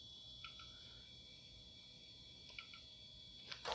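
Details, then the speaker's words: IBM PS/2 L40 SX laptop from 1991, fed 12 V from a bench supply at first power-on: faint, steady high whine with soft ticks in a quiet room; hard drive spinning up normally. "let's see what happens when we hit power okay we got some indicators kind of sounds like a hard drive is turning on oh yeah it's hard drive spin up"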